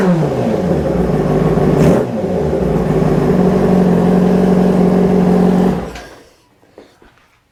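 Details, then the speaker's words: 2005 Yamaha R6 after throttle body sync and valve adjustment: crisp, even revs rising and falling cleanly on throttle blips, then settling; all four throttle bodies pulling equal vacuum. "right guys so basically all four of our throttle bodies are pulling the same vacuum"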